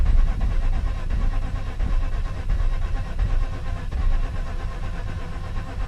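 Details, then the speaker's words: Mazda RX-8 rotary flooded after sitting about a month, cranking with the throttle lightly feathered; uneven cranking at about 86 a minute with ragged catches that never pick up; flooded engine cranking, failing to start. "I have to light feather the gas how they say a little bit when it gets to that point where it's trying to start"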